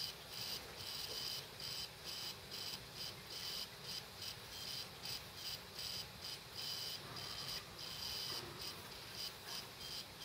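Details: Laptop hard drive running with cover off: high, thin chirps in short bursts about every second over faint hiss; dead drive, probably killed by the computer parking the head every minute or so (suspected OS X/power-save firmware interaction).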